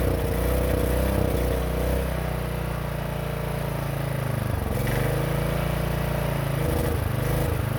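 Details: 1960s Generac generator not run in decades: loud steady engine drone with a couple of brief speed dips; engine running again after long storage.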